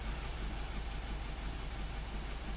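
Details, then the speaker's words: 2017 Ford Transit Connect after a rainstorm and jump-start, idling during power balance test: shaking hard, lumpy stumbling pulse; cylinder 3 misfire, its ignition coil sat crooked, apparently installed wrong, reseated onto plug. "So let's start it up. Okay. It's shaking really hard."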